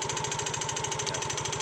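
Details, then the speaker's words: Yamaha Mio GT automatic scooter at idle, heard at the rear: fast even clattering knocks about fourteen a second; suspected rear gearbox or CVT sliders/bearings, unconfirmed. "Nah kalau motor temen-temen mengalami trouble bunyi kasar ngeletek seperti ini kemudian tanjakan kadang nggak kuat itu biasanya ada beberapa faktor"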